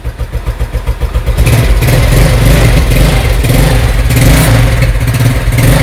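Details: Scooter (SP 110c) that was hard to start, especially on cold mornings, after cleaning the carburetor and its main seat and refitting it: starts on one click, then quick even firing pulses rise into a strong, clean rev that holds without misses; runs healthy.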